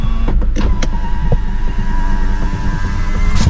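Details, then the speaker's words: Honda BR-V Gen 2, about three years old, before its PMS service: steady power-window motor hum as the glass climbs, with a few loose knocks over it; rattle in the window while going up. "para may umaalog kapag umakyat siya eh. Siguro yung likod pagbababa, tsaka ito yung tunog."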